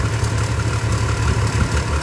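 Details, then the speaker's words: Subaru 360 van two-stroke engine, warm day, timing about 18° advanced, mixture just reduced and settling. Fast, steady buzz with an even beat; idling about 2000 rpm instead of the target of about 1000, idle too high. "should idle about a thousand i think we're about 1500 right now oh we're showing 2 000 so i'm going to keep playing with it until i get to where i want it"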